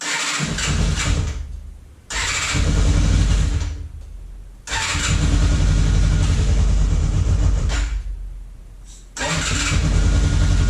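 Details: Free motorcycle, carb tops cleaned, on full choke: several separate two-second cranking bursts, engine spins over but never catches and runs; starting questionable.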